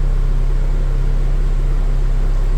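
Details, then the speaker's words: Suzuki Katana after fitting an electric fan and thermostat, engine not yet at full working temperature, choke off, A/C on: smooth slightly raised idle set at 1000 rpm with steady whoosh of the condenser extra fan; normal idle-up under compressor load. "karena naik rpmnya naik karena dia ketambahan beban dari kompresor jadi memang harus dinaikkan dari RPM idle yang tanpa AC"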